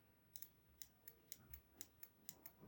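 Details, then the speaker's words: Car relay bench test with 12 V applied across terminals 85 and 86: crisp, sharp clicks about twice a second with clean switching; the relay works properly. "तो आप देखिए मैं आपको 85 और 86 के बीच में सटा के दिखाता हूँ, क्लिकिंग की आवाज़ आएगी। तो फ्रेंड्स देख सकते हैं इसे क्लिकिंग की आवाज़ आ रही है।"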